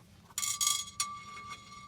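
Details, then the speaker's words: 1947 GMC truck, passenger-side wheel raised and spun after brake shoe adjustment for excessive pedal travel: light metallic clinks and rings about twice a second, suggesting something loose inside the brake drum; owner plans to pull the drum to inspect. "that doesn't sound good sounds like there's something in there"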